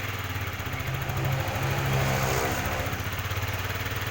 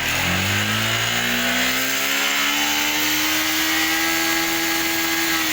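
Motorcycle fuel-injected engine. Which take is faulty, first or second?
first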